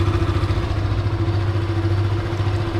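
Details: Yamaha FZ 2.0/3.0 single-cylinder idling with the white stator charging wires unplugged: steady, even idle with just a low hum; the common odd engine noise from magnetic attraction at the clutch side disappears.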